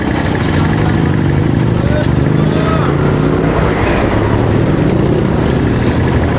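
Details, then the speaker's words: Barako 2 single-cylinder motorcycle idling smoothly after fixing a loose balancer (excess clearance) that caused loud clatter mistaken for a bad connecting rod; shim added to remove play, no more knocking, even idle. "Parang hindi umaandar. Yun lang pala ang kailangan mga bossing. Sapi lang para mawala yung lagapak."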